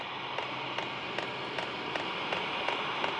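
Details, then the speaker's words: New HCalory Toolbox 2 diesel heater heating up, start-up smoke clearing: light regular fuel pump ticks about two or three per second over soft fan hiss, notably quiet pump; normal fuel pump ticking. "you'll hear the fuel pump ticking and that's a quiet fuel pump this is one of the most quietest fuel pump I've ever [Applause] heard"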